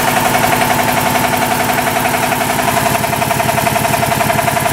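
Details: 40-year-old 25hp American Kellogg 462 air compressor, before overhaul, running: sharp, evenly spaced knocks nearly four per second through the thump; rod knock on 3 of 4 connecting rod bearings.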